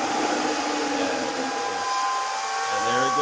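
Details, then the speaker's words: Bitmain AntMiner S9 Batch 3 (12.93 TH) booting on an alternative PSU, fans spinning up: loud steady fan roar with a thin whistle rising in pitch from air acoustics through the case, pretty intense; normal fan operation with airflow whistle. "goes you can hear that Whistling noise that's some air Acoustics something going on with the air Acoustics going through everything it's pretty intense"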